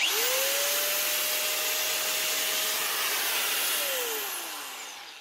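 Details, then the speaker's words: Bosch GWS 7-115 4.5-inch angle grinder after fitting a new on-off switch; steady high motor whine at even pitch, then smooth spin-down, clean and healthy with no roughness. "There we go. On Bosch 4.5 inch GWS 7-stroke 115 grinder with a new on-off"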